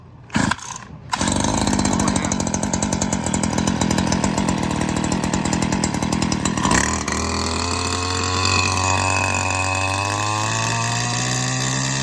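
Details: Stihl FS94R two-stroke trimmer, about 80 to 100 hours, started after a maintenance kit with new fuel filter, air filter and gapped spark plug. Pull-start bursts, then steady idle slowly climbing in pitch; normal running.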